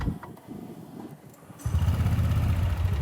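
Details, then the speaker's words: Honda Vario scooter with a worn-out reused head gasket letting radiator coolant into the combustion chamber and oil: starter churn, then a lumpy, uneven, rough low rumble with smoke from the exhaust. "Nah, setelah dicek tadi, terlihat asap keluar dari knalpot dan terdengar suara mesin yang kasar."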